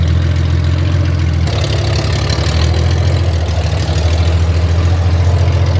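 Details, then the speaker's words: Derelict Honda Gold Wing flat-six idling on open header pipes to cure fresh VHT paint: loud, raw low drone with a rattly uneven beat and crackle, no collector or silencing. "Oh, there. That is very loud. And I'll only say that cuz I'm not going to say that sounds glorious cuz I don't think it does."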